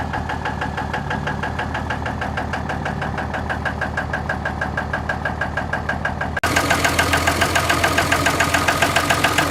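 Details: 2003 Dodge Ram 3500 Cummins diesel idling after it started knocking badly and blowing white smoke while hauling sucker rod. A heavy, steady knock about 3.5 times a second; an injector is suspected but not confirmed.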